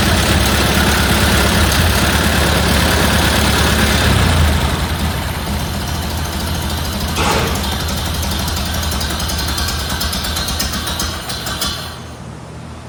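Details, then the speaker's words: 1931 Ford Model A Victoria after in-frame repair of a broken valve lifter (tappet) and cam install: slow, even low idle about four beats a second that settles smoothly; sounds like it always did, timing unadjusted, carburetor still to adjust. "that sounds like it always did I guess I'll adjust the carburetor I would call that a success"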